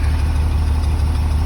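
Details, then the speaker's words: 2003 Blue Bird bus, International DT466E diesel, just started at 11°F after jumper cables and another shot of ether, building air: deep, steady low rumble, even firing, no knocks or misses; normal cold idle. "Well, there she goes. Now, let's see if she builds air. Yeah, it seems to be building air, so I guess our work here is done."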